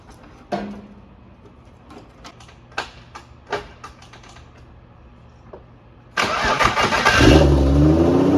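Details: BMW E36 with a budget-turbo M52, first start after fitting new oil feed and return lines, with no leaks seen: quiet clicks, then the starter catches and the straight-six fires at about six seconds, settling into a steady, even run.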